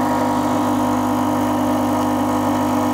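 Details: New Rocket Espresso Stone espresso machine, just unpacked, boiler filling with water: constant low, even vibration-pump buzz, described as a bit louder but normal, no rattle or surging; healthy pump.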